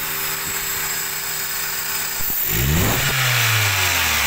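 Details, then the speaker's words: Toyota Avanza, previously hesitating with low rpm, failing electric fuel pump identified: idle about 700 rpm, with AC compressor on the engine climbs smoothly and quickly without stumble; normal revving with AC on. "sekarang kita hidupkan icon ini normal dalam RPM 700 kita hidupkan Icon RPM naik kita tengok kompresor oke supaya tidak pernah lepas"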